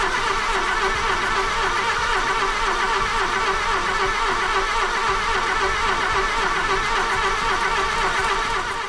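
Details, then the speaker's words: Golf II carburetted petrol engine after a full carburettor rebuild, with a little petrol added, on its first start attempt: fast, steady cranking churn at about four beats a second, no firing yet; starter spins the engine freely. "donc là on allume je mets un petit peu d'essence et on l'allume let's go"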